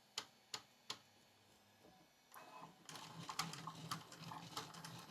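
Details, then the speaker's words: Bambu Lab A1 Mini printing a small boat after the purge: sharp extruder clicks, about three a second, over the motor whir with almost no filament extruded, from a clog in the extruder path. "so you can see no filament is really being extruded it is clicking and just going back and forth and giving us a mess here"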